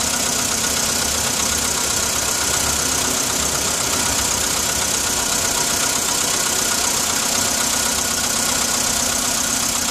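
Cold idle carries a light, regular metallic tapping over a hissy, even engine note; a cold-start knock whose source isn't clear.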